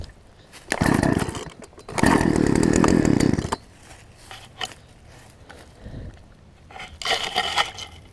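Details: Poulan Pro 18" two-stroke chainsaw, revived from an equipment lot and running again: fires and buzzes up to full revs twice, drops to a soft idle, revs again; starts and runs normally.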